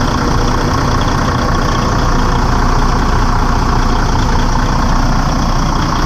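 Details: Detroit DD15 diesel truck just after serpentine belt replacement, started to check belt stays on: steady even diesel clatter at idle, no slap or squeal, belt holding; healthy idle.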